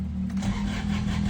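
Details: Ford Everest diesel after glow plug replacement for hard starting, especially in cold weather: catches straight away and settles into a steady low rumble with no long cranking; normal, healthy start.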